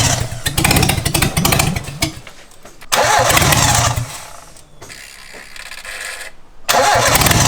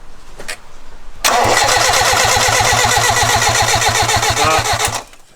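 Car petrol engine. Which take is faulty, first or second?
first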